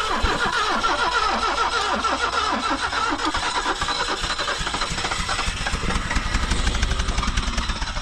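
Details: 1974 BMW 2002 started after sitting over 30 years: cranks, catches unevenly with stumbling firing, then picks up and runs ragged while blowing rust out of the exhaust; a rough first start after long storage.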